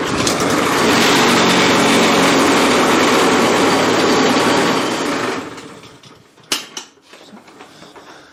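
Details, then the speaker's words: Self-propelled lawn mower at first start: engine screams at a steady, very high speed without settling back, then winds down. Overrevving; owner suspects the governor is not working, unconfirmed. "whoa that uh took off at very high revs it sounds like there's a governor that's not doing what it's supposed to do"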